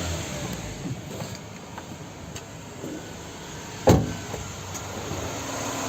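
Steady low, even engine hum at idle with no knocks or misses, just a brief outside bump; the engine idles smoothly.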